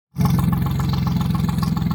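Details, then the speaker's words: Mercury/Tohatsu 25 EFI outboard after replacing the VST, fuel pressure 40 PSI: steady even low putter, no misses; idling cleanly after no-start. "well um you can hear this motor running you can see that it's running"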